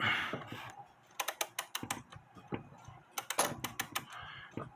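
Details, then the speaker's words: Seth Thomas Sonora clock with balance escapement, being wound: quick bursts of ratchet clicks with uneven gaps; mainspring slipping, not catching, click possibly slipping; needs fixing. "think I have a the mainspring is slipping as I wind it up It's not catching The Click um might be slipping but anyway I'm gonna have to fix it"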